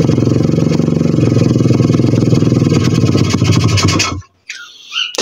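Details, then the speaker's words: 125 cc pit bike single, runs lumpy with irregular beat, dies abruptly after about four seconds; owner suspects the carburettor, unconfirmed. "Víš, to to dělá takovjle divnej zvuk a já nevím proč. Proč to dělá, vole? To dělá tady u toho Karbece, brácho."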